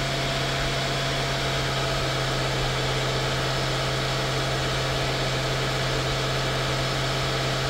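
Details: 2016 Mercedes-Benz S550 W222 V8 after ignition coil and spark plug service: steady, even idle with constant low hum, no misses, knocks or ticks; engine running smoothly, normal idle.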